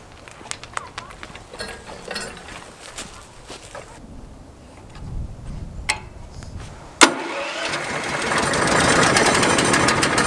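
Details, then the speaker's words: POWERHORSE 420cc wood chipper, brand new, first start just after filling with about one quart of 30-weight oil. A sharp pull and the single-cylinder engine settles straight into a steady, even run; a clean, healthy start. "well she fired right up now let's give it a test run"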